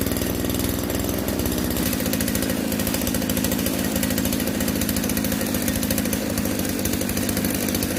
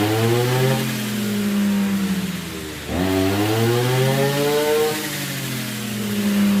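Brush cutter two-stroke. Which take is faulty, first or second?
first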